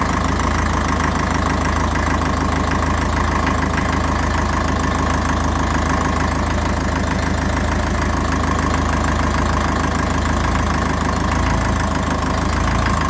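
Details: 1954 Ferguson TE20 (TEF) diesel tractor idling after a heater-plug-assisted cold start, unstarted about three weeks, heater plug rewired with heavier wire; steady, even idle with loud rattly clatter typical of this old engine, holds speed smoothly: normal diesel idle.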